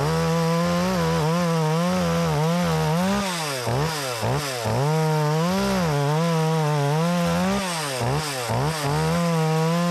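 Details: Makita EA3200S chainsaw, repaired after not starting following a year in storage, test cutting an old utility pole: strong steady two-stroke howl dips and recovers cleanly under load; healthy, pulling hard.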